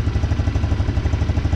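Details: 150cc GY6 four-wheeler just after a new carburetor install, idle a bit high and being set with the idle air control. Steady, even putter with no misses or rattles: normal idle.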